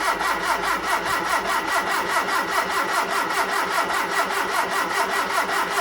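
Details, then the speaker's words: Hillman Super Minx after carburettor rebuild, refitted carb with empty float bowls, choke held by clothes peg: starter churns steadily at about two and a half beats a second without firing while fuel refills the bowls; extended cranking. "got a lot of cranking to do get the fuel back up to the carb again as well fill all the bowls"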